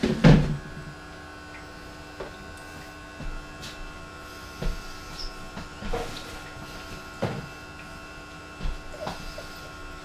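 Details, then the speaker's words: Philips masticating juicer (screw-thread, quiet motor), first use juicing carrots and lemons: quiet, even motor drone with faint hum and occasional soft thuds as produce feeds through; not very noisy, normal running. "it's not very noisy eater so it's quite good news"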